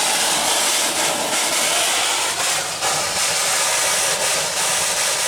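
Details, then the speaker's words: Steam-driven feedwater pump on a boiler above 40 psi, just switched on: loud steady steam hiss with soft, uneven chuffs about three a second; weak pumping, slow because it is pumping against pressure. "And it'll start pumping. As you can see, it's pumping slow because it's under pressure."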